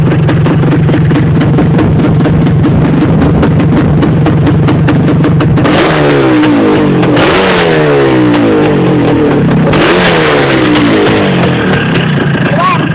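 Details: Yamaha DT400 two-stroke blipped repeatedly, revs rising and falling, with a dry rattly edge underneath; owner suspects piston slap or a lean mixture, not confirmed. Rattling under revving.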